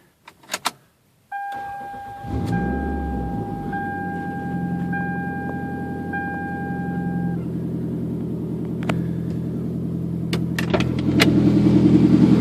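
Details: 2003 Toyota Camry, first start after an engine swap. Keys jingle, the starter cranks, and it catches into a rough, puffing rumble. The noise is an exhaust leak at the flex coupler; the motor is quiet, with no valve noise and no knock.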